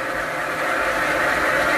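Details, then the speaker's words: Sanyo household water pump, previously ran continuously with a whining noise but drew no water, after repair and priming; even, steady, louder hum holding firm while drawing water; normal running. "nah ini suaranya sudah beda sudah lebih kencang"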